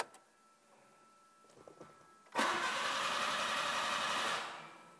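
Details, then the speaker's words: Nissan March Superturbo with a new fuel filter and the fuel pump just reconnected: steady starter churn for about two seconds without firing while the pump hasn't primed; owners suspect the fuel pump is wired backwards. "Pump is spinning, hasn't primed yet, probably won't straight"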